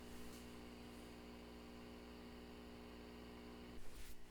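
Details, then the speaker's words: Fender Super Champ XD tube amp, about 15 years old, after swapping the 12AX7 preamp tube, microphone close: steady low hum with fine hiss unchanged; noise remains, speaker or capacitors suspected. "so unfortunately the sound is still there so I am not sure what the deal is so the next thing is to check would be the speaker or maybe it's an issue with capacitors or"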